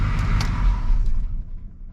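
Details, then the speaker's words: Chevy C20 6.2L diesel with DB2 injection pump after fuel cut-off solenoid replacement, key turned off: rumble dies away smoothly within about a second, new cut-off solenoid shutting engine down properly; successful repair. "amazing well that was a extremely anticlimactic success"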